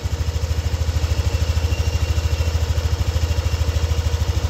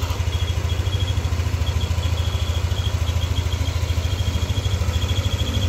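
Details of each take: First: Warm Yamaha NMAX V2 scooter engine at idle after repair, earlier squeak and whistle gone: smooth even low idle pulsing about 2.5 times a second, no rattle or ticking from the side; normal idle. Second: Yamaha NMAX V2 scooter engine at hot idle: thin steady high whistle over even chugging, appearing only once engine is warm and disappearing when revved; worn bearing near water pump.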